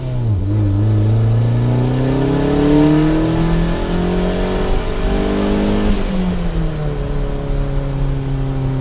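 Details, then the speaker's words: 1994 turbo Mazda Miata, warmed up, at quarter throttle: revs climb in one smooth rising note toward redline with no stumble or hiccup; pulls cleanly, unlike at half throttle. New BKR7 plugs, NGK wires, swapped cam sensor. "If I lay back into it a quarter throttle, once again it'll pull through, no issues."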